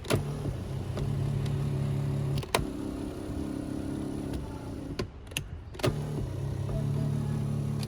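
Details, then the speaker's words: BMW Z3 driver's power seat motor that previously didn't work: hums in short bursts with clicks and pauses, slow to move the seat and seat rocks; said to be a common Z3 problem. "essentially it takes a second for the motor to actually move the seat and what I've noticed now is that it has some rocking to it"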